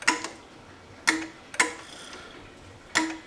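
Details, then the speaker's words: 2018 Permobil F5 wheelchair motors after cleaning brush housings, sanding commutators and lubrication: four crisp clicks about a second apart; motor brake engages and releases cleanly, normal. "Yeah, that sounds good."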